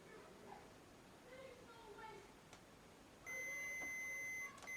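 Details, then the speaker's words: Hitachi radio cassette repair: multimeter on continuity across a PCB track that looks broken; steady high beep from about three seconds, brief blip off, then resumes; trace intact, no break. "If we get the meter, turn that on, just leave it there, put continuity, just so you can, because I know you all like to hear the bleep."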